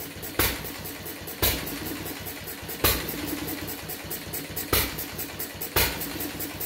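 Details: Fuller and Johnson hit-and-miss engine on first run after cleanup, battery and 6-volt coil box, started with a little choke: sharp pops about once a second, uneven coasting gaps, governing; owner suspects rich mixture, plans checking mixer and RPM.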